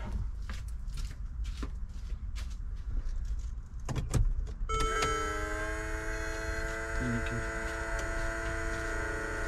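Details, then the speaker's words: Repaired Mercedes G63 W463 seat bolster air pump (OEM 000 800 25 48), reassembled and plugged in with ignition on; after a few clicks the pump kicks on with a clean steady hum and pumps normally. "then the pump kicked on so now the pump's doing its thing obviously it's pumping"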